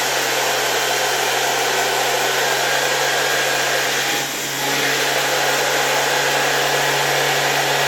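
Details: Soviet "Rakieta" 7M2 vacuum cleaner from 1981, MD-010 motor after cleaning: smooth constant high whir over a steady hum, no rattle or grind, owner unsure if bearing or spring noise is heard; runs normally.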